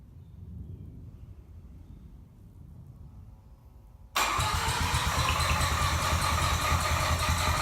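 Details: Freshly rebuilt full-bridgeport 13B Turbo II rotary from a 1991 JDM RX-7: on start it shoots to the 2000 rpm limiter with a loud, busy high idle. The MAP sensor sees no vacuum, so a vacuum issue is suspected. High erratic idle.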